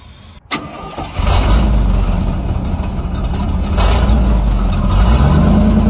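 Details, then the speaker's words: 1977 Chevy/GMC C7000 square-body truck not run in about 12 years, new carburetor, after a rough carb tune: engine catches after a short crank and settles into a steady, even low rumble with no misses; smooth running. "Let's see if we can halfass tune this carb. [Music] Sounds a lot better. Majestic."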